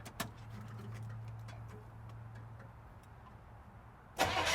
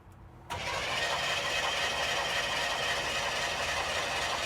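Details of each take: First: Chevrolet Chevelle V8 barn find abandoned 24 years, first start after oiling cylinders, on carburetor fuel: after several quiet seconds the engine catches at about four seconds and settles into a loud, steady idle, smoking. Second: Chevrolet Chevelle barn find abandoned 24 years, oil squirted in cylinders: steady rapid cranking just under four turns a second, never fires; spark test shows no spark, distributor points to be checked.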